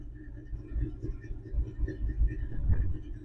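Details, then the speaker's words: 1961 Chevrolet Apache 10 pickup 327 V8 just started after 3 years sitting, cold: lumpy rumble surging and sagging, won't idle on its own yet; oil pressure near 50 psi. "Oh, come on. She's not ready to idle by itself yet."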